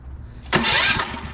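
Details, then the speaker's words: Predator 224cc engine on a Mega Moto minibike, fitted with a V Power Equipment electric starter kit on an 18V Ryobi lithium battery: about half a second of fast, even, brisk cranking, then fading; normal electric starter cranking. "that's awesome that is freaking awesome that little ryobi has got more than enough go-go for that"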